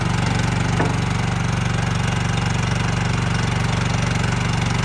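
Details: 2024 RODA RD380L mini skid steer loader, brand new, unused, 13.5 hp gasoline engine. Steady, even putter with a smooth rhythm and no knocks or misses, idling healthy.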